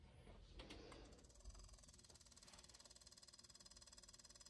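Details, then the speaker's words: Technics SL-B101/B202/B303 turntable (1981) belt-drive motor: steady light clicking about four a second from a deteriorating loose plastic piece inside the motor rubbing the casing. "you should be able to pick up and hear the the clicking noise made by the motor the internet suggests that this is a point of impending doom for the motor it's really not it's a it's a piece a plastic piece inside the motor that is deteriorating and becoming loose and rubbing on the casing"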